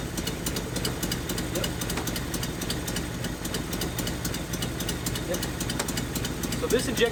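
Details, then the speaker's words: 1981 Nissan 280ZX six-cylinder, five-speed, sitting about 15 years; lumpy, uneven idle with a stumbling beat as one cylinder drops out; rear injector found not firing when testing each injector. Misfire from dead injector. "this injector back here is not firing"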